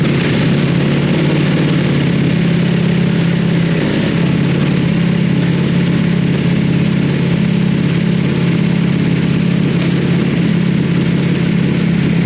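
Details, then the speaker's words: Rebuilt wrecked 2020 Ducati Panigale V4S with a full Akrapovič exhaust system at idle: loud, deep, steady idle with an even low drumming beat and no knocks or misses; normal idle. "damn that pipe sounds awesome that pipe sounds Wicked um I've never actually had a bike with a full Acro system on it so uh damn that is loud man that's that's a loud loud bike"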